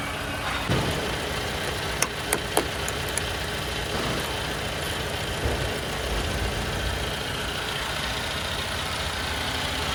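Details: Toyota Camry with the 2AR-FE engine, in a case of front-of-engine noise traced to a faulty water pump: a steady, even idle with a smooth low hum and no rattle or whine from the front. It runs quiet and healthy.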